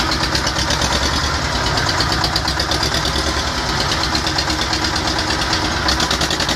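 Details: T-25 tractor diesel engine after repair, normal idle: even diesel clatter with regular firing pulses and no misses or knocks; engine runs healthy.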